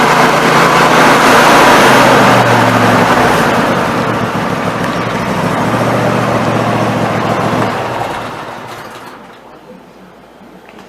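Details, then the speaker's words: Snapper NXT 25-48 riding mower after carburetor replacement: small single engine runs at a steady, even beat of about three and a half pulses a second before winding down; normal running. "everything seems to run out we will get it the rest away together and see how it runs out"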